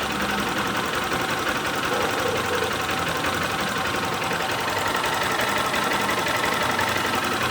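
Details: Honda CG Start 160 motorcycle single at idle: quick uneven light knocking over the engine note, owner asks if normal; cause of the top-end noise not identified.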